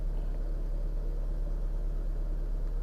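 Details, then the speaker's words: 2010 Hyundai Avega GX, after routine engine flushes and oil changes: even, steady low idle rumble with no misses, knocks or ticks; owner says it now sounds smooth, a normal idle. "suaranya jadi agak halus. Ini udah enak sekali, agak halus."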